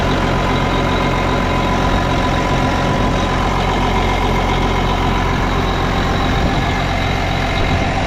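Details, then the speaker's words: Case 305 tractor after replacing exhaust manifold gaskets, torqued to 18–20 ft-lb: low, steady diesel-type idle with even beat and no ticking or puffing at the manifold; sealed and normal. "well I don't hear any kind of clicking sound"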